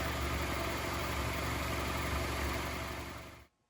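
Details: Honda CR-V after crankshaft seal and variable valve timing solenoid gasket replacement for an oil leak: smooth, even idle with a steady low hum and no knocks or ticks, then a clean shutdown; runs healthy.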